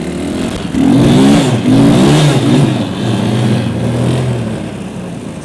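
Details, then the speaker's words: Yeti SnowMX snow bike, test ride after jack shaft replacement that cured last season's clacking from the back end: even engine drone holds steady, no clacking or rattle; drivetrain sounds healthy. "Well, so far things sound pretty good. I don't think there's much of a problem."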